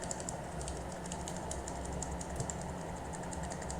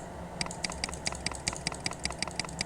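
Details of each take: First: Mechanical keyboard switch still double-clicking after being sprayed with cleaner, less often than before; quick clicks, some single presses landing as doubled ticks; dirty contacts suspected, so the switch must be desoldered to clean. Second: Mechanical keyboard key pressed on a keyboard tester while checking which switches double-click or fail to respond; crisp even single clicks about five per second, no chatter; this switch works properly.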